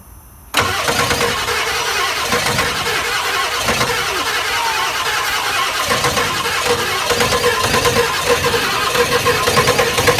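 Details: Ford 7.3 IDI diesel after top-end rebuild, sat 11 years, started with ether and jerry-can fuel supply: silence, then catches suddenly, runs lumpy and uneven with loud clatter, barely holding idle; hard starting.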